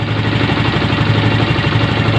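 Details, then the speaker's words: Yamaha Mio M3 125 after engine repair (previously clattering, engine oil had run out), recorded from the front of the engine: short, even idle with a smooth regular beat and no knocking or rattle; engine now 80–90% smoother. "Nah suara mesinnya seperti ini. Oke, bisa didengar ya. Yang sebelumnya letek kawan ya."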